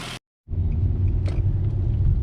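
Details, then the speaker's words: 2009 Nissan Altima driven over 40 mph after replacing its coil packs and spark plugs; it had hesitated there before, and oil was found in the coil wells. Steady low engine drone with road rumble, no misfire or surging, no check engine light. It now runs smooth. "Fired right up. Sounds good."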